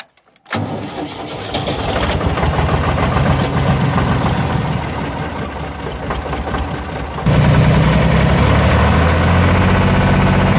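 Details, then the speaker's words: Deutz D4506 tractor diesel after running out of fuel, fuel filter replaced and injector pump bled: about seven seconds of even cranking before it catches and settles; hard start as remaining air in the fuel system clears. "all right so it took a little bit probably could have bled it some more and avoided some of that uh waiting there with it getting the fuel through but you saw them we were good there"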